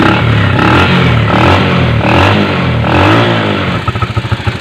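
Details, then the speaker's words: Bajaj CT 100 small motorcycle engine after repair of its stumbling while riding: runs and revs cleanly with no stumbling or sputtering. "Syempre ginawa na natin yan. Hindi nahahagok yan."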